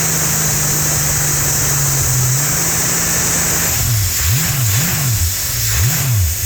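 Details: Holden 202 red six test-bed engine with rebuilt early Mk1 TBI throttle body, just started after priming: steady even hum, several quick clean blips, back to idle with no misfire; idling and running beautifully.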